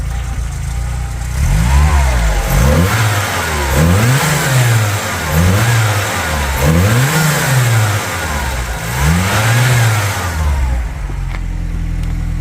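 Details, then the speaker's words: 1980s VW Polo Mk2 Breadvan, 94,000 miles, started first turn of key: engine blips up and down in five or six clean, even sweeps then settles to steady idle; healthy revving. "yes that sounds sweet that sounds sweet"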